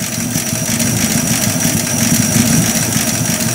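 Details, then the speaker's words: 70-year-old Buick Roadmaster straight eight after final tuning, warm slow idle, timing set but possibly a little off; even beat with soft valve patter, one rocker possibly more chattery, no misses; normal idle. "but man for a 70 year old car just kind of fertile along here like it's doing I don't think anybody can complain about that that's pretty good"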